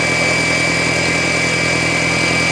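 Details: Audi A4 B6 1.8T after sitting all day, just after cold start: loud, steady high-pitched whine over the idle without wavering; fuel filter replaced without change, source still unknown.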